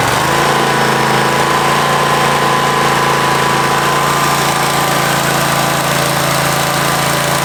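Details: Husqvarna 54-inch deck zero-turn mower, long stored in a shed, first start on a new battery: steady, even drone at speed with no misses or surging; runs pretty good, normal running.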